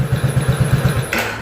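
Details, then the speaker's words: Honda C70 with V12 remote alarm, remote-started in neutral via relay on the neutral switch: crisp even single-cylinder putter at about eight beats a second, no misses; healthy idle, starting blocked when in gear. "Nah Ya, pada saat lampu netral hidup dia mau berbunyi,"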